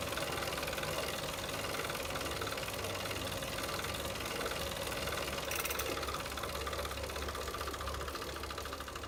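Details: Tacx Flux trainer spinning: rough, gritty grinding with a low hum, then two sharp clunks and fast ticking; grinding noise.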